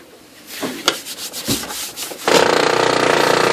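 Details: New replacement OKI Data MB480 laser printer: scraping rubs then a steady, rapidly pulsing grind from the mechanism; it shows errors and jams with no obstruction found.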